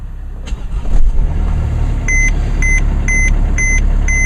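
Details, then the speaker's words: Mercedes diesel, push-button start, just under 8,000 miles, cold sleet morning, run the day before: short crank, catches at once and settles into an even idle under a repeating dash chime; normal cold start. "oh yeah started right up"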